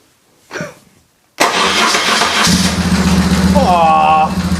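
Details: BMW R1150 GS after starter motor replacement, engine cold, after fuel pump priming: a brisk starter whir of about a second, then the boxer twin catches quickly and settles into steady running; the starter had been the fault.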